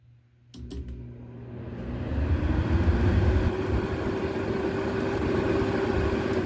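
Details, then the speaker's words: 2018 GE window AC AHP08LXW1, little used, control board failed and being retrofitted to a home thermostat: relay clicks, then the fan motor spins up to a steady even whir on the blue wire; normal fan operation. "Blue is one of them, I believe. Sounds like maybe medium."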